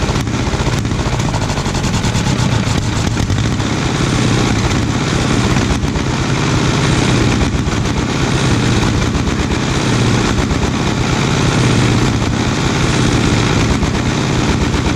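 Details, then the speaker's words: 1936 Caterpillar RD7 small starting (pony) engine, first start after rebuild for water-seized parts: quick, sharp, even firing pulses at a steady pace, no misses; fired right up. Normal running. "that's not so bad that's uh two starting images in a row where they fired right up for us"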